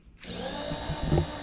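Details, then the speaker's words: Precision Matthews PM-25MV benchtop mill X-axis power feed add-on: small motor runs a steady, even whir with no knocks; stops immediately when switched back, with a little clunk on direction change that is believed normal. "and then if we turn it back it immediately stops and then there's a change gear you'll hear a little clunk I think I'm pretty sure that's normal"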